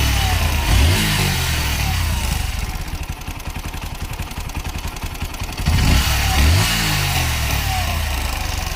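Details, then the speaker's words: Bajaj Pulsar NS125 BS6 motorcycle at idle: a fast metallic rattle about four per second that swells with each throttle blip, caused by a loose timing chain tensioner letting the chain go slack. "అలా రావడానికి గల కారణం ఏమిటంటే లోపల ఉన్న timing chain tensioner walls దీనికి loose అవ్వడం వల్ల మనకి ఆ సౌండ్ అయితే క్రియేట్ అవుతుంది"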